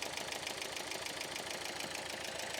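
Uneven idle with a regular ticking knock and a stumbling beat each cycle. Points to a bent valve after the timing belt broke.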